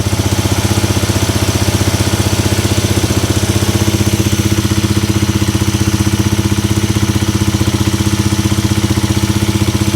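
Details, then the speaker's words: Polaris Sportsman 300 ATV with new carburetor and new fuel hose replacing leaking one: starts right up, steady even single-cylinder idle, no misses or hunting, no leaks; normal idle after repair. "And let's see if it starts up and doesn't uh leak on us. Starts right up."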